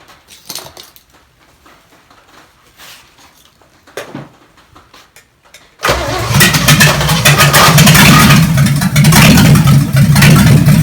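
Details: Chevy 283 V8 from Facebook Marketplace, run on the shop floor: quiet, then it catches and settles into a strong, even low rumble with steady firing; compression later about 100–120 psi; normal idle.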